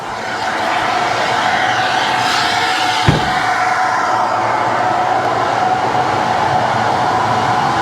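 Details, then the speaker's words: Ferrari FF engine bay with aftermarket cooling fans on a timer, running after the car is switched off to keep bay temps under 200°F instead of 280°F or more. Steady, even fan whoosh with a faint constant hum and no ticking or wobble; the fans run normally. "Fans come back on. There we go. Look at that. Bringing our temperatures down again."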